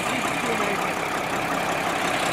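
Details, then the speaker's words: Restored Mercedes Unimog diesel just after a cold start on a roughly 103-degree day: solid, even diesel clatter holds steady at idle without throttle, no stumbling or odd knocks; normal healthy idle. "somebody put a lot of money into it dude God that sounds solid"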